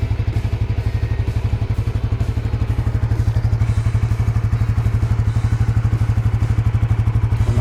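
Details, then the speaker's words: Suzuki GSX-R150 just after oil and filter change to Fastron Techno SAE 10W-40; smooth regular low thrum at idle, no ticking or knocking, owner finds it slightly smoother than previous oil; normal idle. "Suaranya lebih adem, tapi yang nggak signifikan banget. Cuma dari oli terakhir Ipon kayaknya ini lebih lembut."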